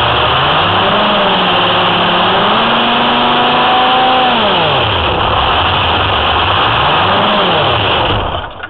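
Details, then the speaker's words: Detroit Diesel 6V53 in a 2004 Ford F-350 with Allison MT-653, after installing a rebuilt blower (old one leaked at the end-plate oil seals): revs up cleanly and drops back to an even idle several times, no knocks or misses; healthy running. "well everything seems good another good deal honeybee thanks for watching"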